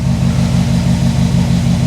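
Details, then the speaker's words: Freshly assembled Subaru WRX 2.5 turbo boxer, first start after rebuild and oil priming, warm with temperature mid-range: steady even low burble, regular pulse, no knocks or ticks; running smoothly and quiet. "Man, it is running very well. I am very happy. It's quiet. It's just like it should be."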